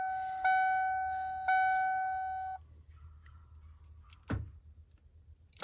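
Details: 1993 Ford E350 7.5L: a chime pulses, then a faint steady fuel pump hum and two lone clunks with no cranking. Pump primes but the starter never turns; owner suspects a loose ground wire or solenoid.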